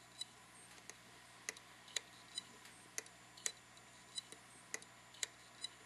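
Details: Hitachi Deskstar 5K3000 2TB 3.5-inch drive clicking sharply about twice a second over faint hum, continuously, after being kicked during a transfer; not recognized by the computer; possible click of death, unconfirmed.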